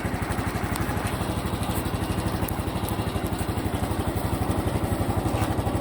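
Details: Honda Cub Pro small single, abnormal engine noise after an oil change meant to fix it: a loose, ticking clatter on every firing pulse, rising slightly as it revs. Cause unclear.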